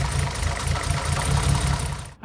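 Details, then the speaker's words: 1975 Mercedes 280SL, M110 engine, unused 10 years, new plugs and serviced injectors: lumpy idle with uneven low thumps about four a second, unchanged when the third cylinder's plug lead is pulled; misfire from a faulty plug, lead or injector. "when I take this spark plug lead off here, there is no change in engine um tone. The revs don't drop slightly. So, that means either the the spark plug is faulty, that the ignition lead is faulty, that the injector is faulty"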